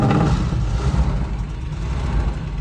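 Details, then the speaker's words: 1984 Dodge D150 Prospector V8, first start after sitting about 20 years: low steady rumble settling into an even healthy idle, no knocks or misses, no smoke on firing; owner notes a missing exhaust manifold bolt, probably causing a tick. "Idles. Dude, that's a win. Sounds good. Sounds really good."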